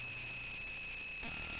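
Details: Bare Conductive Touch Board audio output: constant high shrill tone with a steady buzz under it, never changing; noise worsened after changing the input power source; owner suspects inadequate filtering, unconfirmed.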